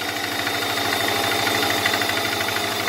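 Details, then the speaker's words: Subaru with an EJ20X engine that lost power on the road, idling at startup: heavy, steady knock about three times a second with the engine shaking; owner suspects rod knock or spun bearing. "definitely a rod knock I got much that's shaking that motor"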